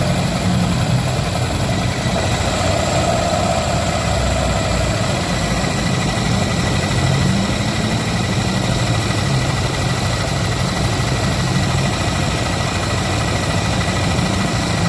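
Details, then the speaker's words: Yamaha NMAX scooter idling before CVT cleaning: low rumble with a faint, thin, high squeak from the engine or CVT that disappears when accelerating. Owner suspects dust, dirty clutch shoes or a worn V-belt; cause not confirmed. "Há um ruído vindo do motor ou da transmissão CVT. Mas quando se acelera, não há som."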